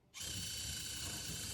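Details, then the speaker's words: Lunar Rover RC crawler build on SCX24 tracks, running on a metal table, which makes it sound worse: steady, even high-pitched motor and gear whine with no clicking, skipping or gears stripping; drivetrain running clean. "It doesn't sound great because it's running on a metal table, but you're also not hearing gears stripping out."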